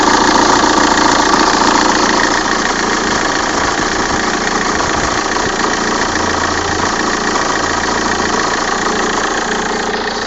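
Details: 1.9 CDTI diesel, cold start only: rough regular knock at idle, about three or four a second over the clatter, with vibration; clears after 3 minutes warm. Dual-mass flywheel replaced a month ago.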